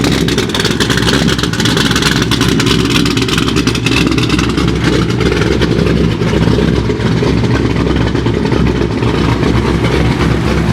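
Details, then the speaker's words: Corvette C6 Z06 on E85 with ported heads and intake, B3 cam, Johnson lifters, LG headers and straight-pipe exhaust, first start after the cam and twin-disc clutch install. Loud, lumpy V8 idle and revving with a deep exhaust and no knocks or ticks; sounds healthy. "so there you have it guys b3 cam install along with the rxdr twin disc clutch and it sounds it sounds good"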